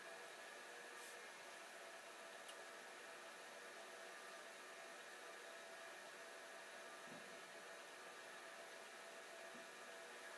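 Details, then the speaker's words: Old hard drive switched back on after a shorter-than-expected spin-down, owner wondering if a drop of oil is needed: steady, even whir and hiss with no scraping, knocking or speed hunting; normal spin. "I wonder if I turn it back on, will it spin again? And the answer is yes, it is spinning."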